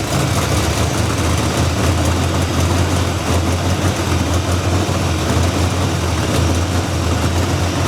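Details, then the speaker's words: Squarebody Chevy C10 V8 running after 21 years in storage: smooth, even burble with all cylinders firing steadily. Idle a touch high but clean, with no blue-white smoke. "It the idle's a taste high. I think that little port runs down into the fuel bowl, which is why we got the length of time we did, right?"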